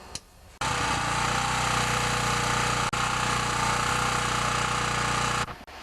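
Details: Small Chinese four-stroke generator of about 1,200 W, restarted to warm up before an oil change after a starter rope replacement: loud, steady, rapid single-cylinder chatter at even speed; running smoothly and healthy.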